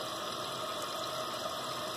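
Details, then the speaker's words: Repaired running toilet: steady, even hiss of the tank refilling with no hammering, gurgling or squeal; float height adjustable by twisting to shut the water off sooner or later; no leak. "put a little bit more water in just to help it have a little more water when it flushes"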